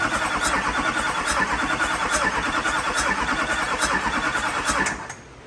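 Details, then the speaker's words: LBZ Duramax diesel drag truck, first start after build, pump prime checked: steady starter chugging about three turns a second for five seconds without firing; air still in the fuel system, extended cranking. "It's getting there. It's got a little air built up in her."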